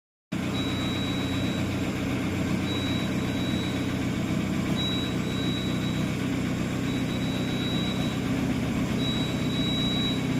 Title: Mahindra XUV 700 alternator bearing noise problem